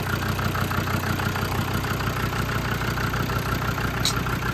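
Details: Land Rover TD5 diesel after the viscous fan bearing was replaced: steady, even idle with a regular low beat of about three pulses a second and no knocks or rattles; running normally.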